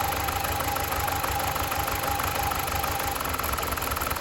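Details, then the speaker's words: BMW 318i E46 Touring, four-cylinder, warm idle: shakes and stumbles with uneven lumpy beat; coils believed working; cause unconfirmed. "not at all that is disappointing that is a rough as heck just as it was um and these coils were meant to be working fine"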